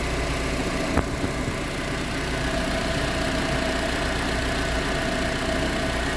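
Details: Proton Exora CPS at steady idle: uneven light rattle over the engine hum with no fixed beat; rattle present, source not identified.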